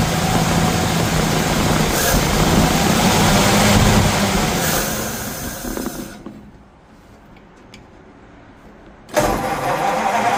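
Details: 1951 Ford F1 flathead V8, first run after sitting over 20 years, idling: steady even thrum, roughly three to four beats a second, a quiet gap midway then running resumes; sounds healthy, an oil leak noted.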